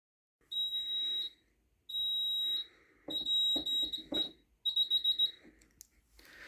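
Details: JSB FX2202 conventional fire alarm demo board on test: a steady high electronic tone in roughly one-second bursts with short gaps, then rapid pulsing; the alarm sounder works normally.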